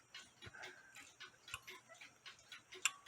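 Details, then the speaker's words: Nisshindo 100-day torsion/anniversary clock, plate 1469E, with a replaced suspension spring, running about five minutes, heard through a beat amplifier: light, even tick-tock about 2.5 beats a second, clicking about 180 degrees apart, so it is in beat. "it's clicking about there which is about like I said about 180 degrees apart from each other and that's what you want um the clock has been running for about five minutes before I started this video"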